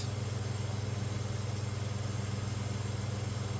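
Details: Round-grille 1970s/80s Limit Ariel 12-inch Spanish oscillating desk fan, oiled, on high drawing 84 watts and about 1416–1436 ft/min airflow. Steady low motor hum with an even pulsing rub about three or four times a second: loose winding insulation catching the rotor.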